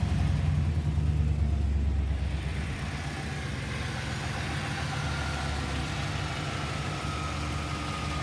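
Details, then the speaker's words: Project box Chevy, owner self-wired with help on starter wiring and grounds; engine catches with brief rev then settles into steady even low idle, no misses or knocks; normal start and idle. "Like I said, baby wins. Right here. He runs."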